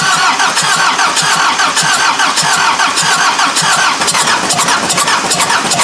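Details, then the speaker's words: Freshly rebuilt Mazda engine on first start after reinstalling injectors, timing belt possibly one tooth off (suspected), fuel return line still filling: uneven cranking that catches and stumbles, never settling into a clean idle; rough start with odd noise, cause unclear. "what in the hell is that sound [Music] maybe maybe because the belt didn't line up quite right i went one tooth maybe it's supposed to go the other way that could explain something"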